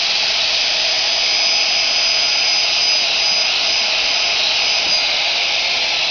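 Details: Precise CNC router spindle (45,000 RPM, 1/2 HP, 5.6 A) running: a smooth, very high-pitched steady whine with an airy hiss and no wobble, rattle or grinding. It spins freely and is healthy.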